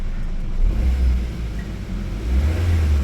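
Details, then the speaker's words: Suzuki Swift idling with AC switched off: low, even, very smooth hum with no drone or rough vibration; the rough humming vibration appears only with AC on, suspected in the AC system. "bunyinya halus, halus banget."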